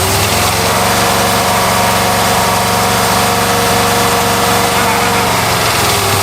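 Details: Abandoned 1993 Ford F150 after sitting 14 years, while sticky injectors are heated: uneven, loping idle with a ragged beat that steadies a little; dead or stuck injectors are not firing, and it smooths out quite a bit.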